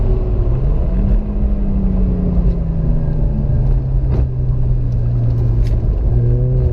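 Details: Rebuilt Mazda RX-8 rotary: smooth climb and fall through the revs, a clean, even buzz with no misses or knocks; healthy revving.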